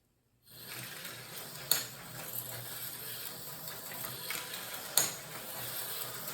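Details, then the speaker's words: Slot car on a recovered Auto World 4-gear style chassis with a non-magnet traction top plate and brass center gear gives a high gear whir with faint scraping drag and clicks; something dragging, running rougher than expected. "Sounds like something's dragging on that one."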